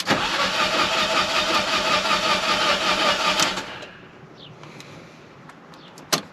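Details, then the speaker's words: Fiat 500 TwinAir replacement engine after install: steady starter whirr about three and a half seconds, even cranking beats, no firing, with fuel pump disconnected to build oil pressure before first start; normal cranking. "so i'm just gonna crank the engine for a few seconds i'm gonna do it a few times so i'm just building oil pressure i hope"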